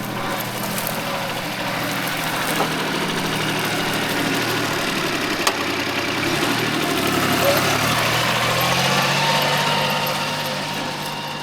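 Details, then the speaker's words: Mitsubishi MT200 Japanese mini tractor diesel after engine overhaul, ploughing dry soil with top moisture: steady, even diesel drone holding speed under plough load, no knocks or misses; normal running under load. "Ну, трактор себе показує нормально."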